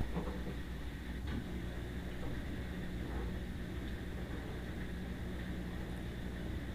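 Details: Old silver Samsung front-loading washer, almost 10 years old, with a new damper, on a maximum spin test: steady loud whooshing roar with a low drone, noisier than normal, plus vibration; cause not yet found.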